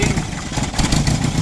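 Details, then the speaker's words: Toyota Tamaraw FX with Toyota 2C diesel, brought in for hard starting and low power, before repair: uneven, lumpy chug with stumbling beats and an unsteady idle that won't hold RPM and dies; diesel misfire and rough running. "hard starting. Yan o, kita nyo, RPM ko, walang RPM o. Palyado po."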